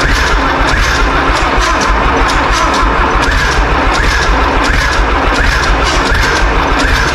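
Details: John Deere 3130 diesel tractor on first start-up after sitting, cold; loud, lumpy thumping with a beat missing from the rhythm, misfiring, probably one cylinder; sounds like it needs heat; something possibly getting in suspected.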